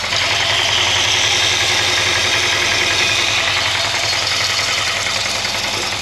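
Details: 1963 Jaguar Mk10 with Mopar 440, off road since 1972, idling on thick oil: loud, busy idle with repeating deep knock three to four per second over valvetrain clatter; owner suspects rod knock or spun or pushed-out bearing, plans dropping pan.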